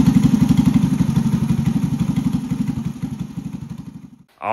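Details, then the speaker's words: 1983 Honda ATC 110 barn-find three-wheeler after carb adjustment: even, steady single-cylinder putter at a settled idle with no misses, knocks or smoke. Normal idle. "it's running like a top now is there in idles this is good"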